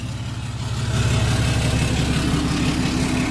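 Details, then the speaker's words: 6.7 Cummins hotshot truck, probably a 2017, reassembled after injector replacement for a miss: smooth, steady idle building slightly, firing evenly with no stumble or dropped beat; no miss, all cylinders pulling. "See how she sounds. Yeah. No miss."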